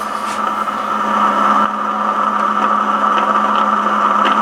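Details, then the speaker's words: FT-101 receiver with the volume turned up: a steady hiss with a constant mid-pitched tone and hum underneath, unchanging; background noise from an unlocated source. "turn the volume up on our ft101 you can hear that noise in the background I haven't been able to locate that"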